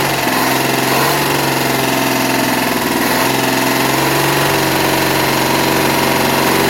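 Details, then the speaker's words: 1961 Studebaker Lark V8 first running after carb cleaning and timing adjustment: loud busy running with a light quick tick-a-tick ticking; cause unclear, owner suspects not running on all 8 cylinders. "Well, has a little noise in it. Wonder what that noise is. Tick-a-tick-tock ticking."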